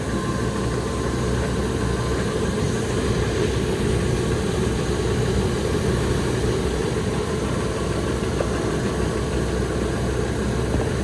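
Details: 1999 Ford F250 Triton V10 first start after new exhaust manifold gaskets and studs, fixing exhaust manifold leaks from broken rusted studs. Steady, even idle under a loud rushing fan, no ticking or puffing; engine healthy.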